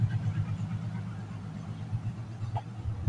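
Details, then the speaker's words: Passive subwoofer converted to active (DIY amplifier build), just powered up: a steady low mains hum because the volume pot and RCA input socket aren't connected or grounded yet. "এই power up করলাম, এইখানে আছে একটা ছোট হামি আওয়াজ শুনতে পাচ্ছেন, সেটা কেন, সেটা এখনো পর্যন্ত যেহেতু এই ভলিউম কানেকশান হয়নি"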